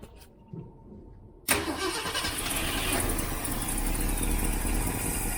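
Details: Freshly rebuilt 1967 Mustang 390 V8 started stone cold on choke, with an extra accelerator-pump spring fitted: it catches straight away and settles into a steady, even fast idle. Good cold start; an exhaust leak at the heat riser remains.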